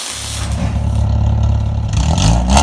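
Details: Petrol engine with an exhaust leak, before fitting eBay 4-2-1 headers: revs with a raspy, puffing edge over its low drone.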